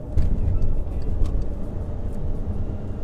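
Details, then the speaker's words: 2013 VW Tiguan 2.0 TSI automatic with low boost code P0299, after installing wastegate actuator rod clip 06J145220A: steady low road and engine rumble at highway speed with no metallic wastegate rattle; the noise is improved but maybe not fully gone. "let's hop on the highway again and see how it is yeah i don't i don't think i hear it that's great"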